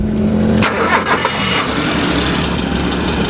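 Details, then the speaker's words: 2001 Suzuki Carry Futura Realvan 1.5 GRV at idle: brief crank, then a steady, smooth, quiet idle with a faint light ticking, described as the Futura's typical sound, not the valves; engine dry with no leaks, sounds healthy. "Nah, ini posisi mesin stasioner, suaranya adem ya. Halus. Suaranya adem, suaranya halus."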